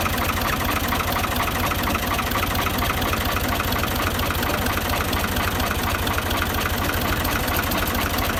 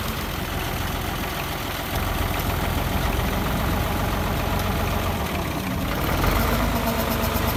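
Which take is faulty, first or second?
second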